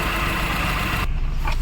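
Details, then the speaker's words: Honda Civic petrol engine idling smoothly after a faulty ignition coil was swapped for another; the earlier misfire thumping and vibration (codes P0352/P0135, pickup drop, stalling) are gone. "मैंने in start किया और आप लोग देख सकते हो जो हमारा इंजन मिसिंग का प्रॉब्लम था वो सॉल्व हो गया है जो हमारा धड़ धड़ धड़ धड़ करने का था"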